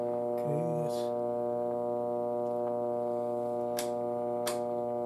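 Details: 1937 Philco console radio, dead before restoration, powered up: constant low droning hum, dead steady in pitch and loudness; abnormal hum from the set.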